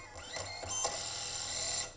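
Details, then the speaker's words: Two 30 A ESCs wired in parallel driving one brushless motor at throttle: high buzzy whine with jerky chirps and no smooth spin-up as the motor stutters; the ESCs get hot while the motor stays cold. "okay okay so this definitely is not working like i expected that something is going wrong and definitely both of the esc's are not able to come up a single solution of how to drive the motors"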